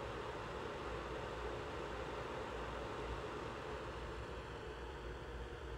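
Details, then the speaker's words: Built-in cooling fan of a 4-bay USB 3.0 SSD/hard-drive docking station connected to an M1 Mac Mini: steady, even airy whoosh with no ticking or rubbing, a bit loud but normal. "so this is what the fan sounds like it's a bit loud but i guess i'm just used to the m1 mac mini being so"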